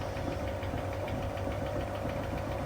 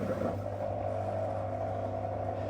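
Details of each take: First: That's that rattling sound. That tapping sound now. There you go. That thumping that's changing as the machine speeds up. That is the drum spider shaft at the back of the drum. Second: Whirlpool SCW1112WH washer at the start of Quick Wash 30, after relay clicks: the drain pump runs with a smooth, steady low hum and constant mid tone. No rattle or grinding; normal operation.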